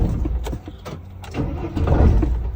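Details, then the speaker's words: T1N Sprinter diesel van (2000-2006) in very cold weather: uneven labouring cranking with scattered puffs that never catch; no start from gelled diesel fuel. "If it's really cold outside and your fuel gels over, it'll sound kind of like"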